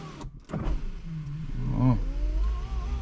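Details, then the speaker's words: Buick LS with a dead battery revived by a battery maintainer, ignition on before starting: power window motor hums and strains upward in pitch over about two seconds, running sluggishly; owner thinks it's slow from age but isn't sure. "it's a little slow but it's just slow because it's old all right not not necessarily cuz my other car is older than this and the windows is perfectly fine so way faster than that"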